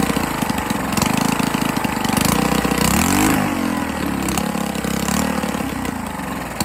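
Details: 98cc small single-cylinder engine first run after rebuild with better used parts and honed cylinder, break-in oil, intake leak suspected, carburetor needs cleaning: revving unevenly with loose irregular knocking down low under exhaust note; connecting rod knock, no longer smoking.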